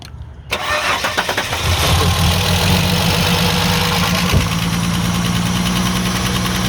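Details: Holden Commodore VS with Ecotec engine, boiling coolant: cranks and catches, then lumpy uneven idle with stumbling beat, running on few cylinders; misfire from blown head gasket.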